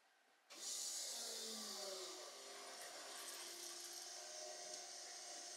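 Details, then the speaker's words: VW Golf 2 GTI with Digifant injection, electric fuel pump switched on to check for leaks at about 3 bar after refitting the fuel rail; steady high whir starts abruptly with a falling tone. Owner thought it sounded odd, possibly just the empty rail filling. "j'ai coupé parce que j'avais l'impression que ça fait un bruit bizarre allumer après c'est parce que la rampe aussi elle était vide alors c'est peut-être du fait qu'elle s'est rempli"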